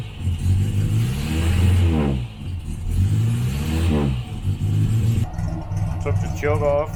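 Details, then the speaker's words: 1968 Morris Minor 1000 four-cylinder, first 2023 startup, after cleaning the blocks: revs up and drops back cleanly but beat wavers at low speed; a whole lot better but still slightly rough. "it is still not perfect but [Music] sure it's a whole lot better than before I cleaned those blocks down"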